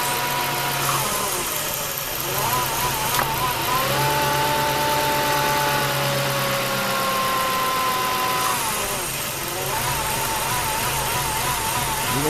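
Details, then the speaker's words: 2002 Ford F-150 4.6L 4x4 with P0401 code, vacuum applied to the EGR valve at idle; idle turns lumpy and wavers, the stumble expected when EGR flow works; rough idle during EGR valve test. "how rough that thing's running now compared to the first time we tried it"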